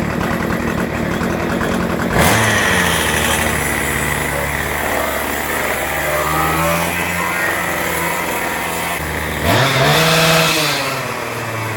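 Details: Troy-Bilt two-stroke string trimmer, found discarded, after its air filter was oiled with two-stroke oil and the shaft removed, idles steadily, then revs cleanly twice and settles without stumbling; runs normally.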